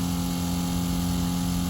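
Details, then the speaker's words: Seaflo 22 series 5 lpm 100 psi self-priming pump in Ford Transit Custom camper with 54-litre tank, priming then flowing water: steady constant low hum with no surging or rattle; primed and running normally. "Oh, there we go. Look, Ruby. So it's self-priming."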